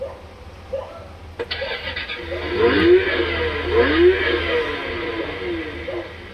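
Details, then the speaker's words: Kids' 12 V electric ride-on scooter started by shorting the two outer wires of its faulty starter switch; a click, then small motor whirs with hum rising and falling with speed, scooter moving: runs normally, switch needs replacing. "Scooter हमारा start हो गया अब हम देखेंगे इसको चला के ये आगे चल रहा है चल रहा है चल रहा है"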